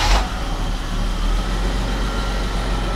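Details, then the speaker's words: Carbureted Jaguar V12 after sitting 6 years, warmed up, ignition timing set and four carbs balanced, two slightly rich: low steady even idle around 700 rpm with no knocks, misses or hunting; normal idle. "so let's see that's an idle speed of about 700."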